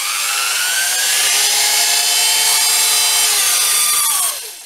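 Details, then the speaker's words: A 1970 Sunbeam lawnmower motor (geared, claimed 3HP, normally 120V AC) run directly on 48V DC from batteries in series: it spins up to a steady high whine with a gear note, then winds down smoothly, running normally as a universal motor. "the big question is will it run on direct current will it operate as a universal motor"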